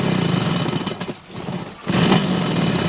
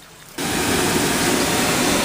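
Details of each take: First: Old Carrier air handler with aluminum slant coil, blower reported noisy: loud, rough, uneven rattling churn over the blower's rush, consistent with loose debris caught in the blower wheel. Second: HVAC air handler blower at a church after removing a hung-up object from the blower: smooth even rush of air, no rubbing or rattling; fan wheel spinning freely, noise fixed.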